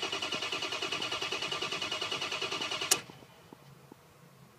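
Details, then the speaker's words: 6.0 Powerstroke (2004) crank no-start: starter cranks evenly about 200 pulses a minute without firing while watching ICP, IPR, FICM power and sync; max ICP under 400 psi, 500 psi needed to start; P2290/P2291, failed high-pressure oil pump. "okay we had sink we had fium power with the maximum ICP that I saw build there was under 400 so we have a uh we can't get the we again we need the 500 PSI just to start"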